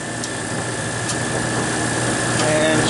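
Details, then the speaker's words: Refrigeration condensing unit at about -14 wind chill, fitted with a thermostat-controlled Mars crankcase heater on the liquid receiver to raise refrigerant pressure: the compressor cuts in with a loud, even hum and steady tone, no knocking or rattling. Normal compressor operation. "this is now the compressor is running it warmed up the refrigerant enough so it expanded just enough to kick in the the fres"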